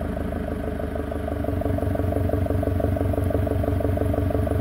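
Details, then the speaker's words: Isuzu 4JX1 diesel with throttle plate butterfly deleted, quick warm-up exhaust valve switched on as an exhaust brake, heard at the snorkel intake: deep, chunky pulsing chuff at a steady beat, louder intake noise. "sounds a little bit more chunkier turn it off and on so that's another observation"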